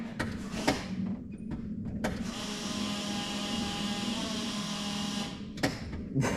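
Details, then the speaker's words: Zetec turbo Mk2 Fiesta, engine not running: the electric fuel pump whirs steadily for about three seconds, dead-heading and thudding because the fuel feed is plumbed wrongly, straight to the bottom of the regulator, and a hiss is heard. "Unless the fuel feed is going straight to the bottom of the reg, and that's now solid. Just thudding on the..."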